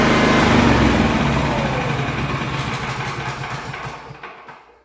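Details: Honda EB 3500 X generator after full service, carb cleaned without ultrasonic cleaner, valves adjusted, oil changed: steady, even firing at smooth running speed, then winds down evenly to a stop; healthy, no misses.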